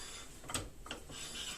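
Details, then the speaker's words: Citroën ZX brake after fitting pads, wheel turned by hand: faint dry scraping swishes of a pad lightly rubbing the disc, same turning resistance as without; pad to be sanded again. "Effectivement, il y a un tout petit frottement mais j'ai exactement enfin je je tourne avec la même force. C'est juste qu'il y a un bruit de de frottement."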